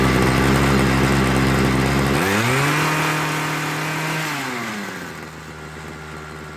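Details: Homelite 26 cc two-stroke hedge trimmer after carburetor and fuel line service, started on full choke to warm up before tuning: even buzz at high idle, pitch dropping smoothly and settling lower, no hunting or stumbling.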